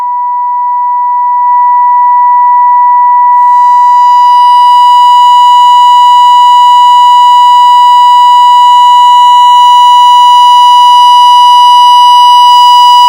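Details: Mectron valve amplifier on the bench in a power and distortion measurement. A pure steady test tone turns harsh and buzzy as it's pushed harder, reaching about ten percent distortion with 2nd–5th harmonics: amplifier overdriven into distortion.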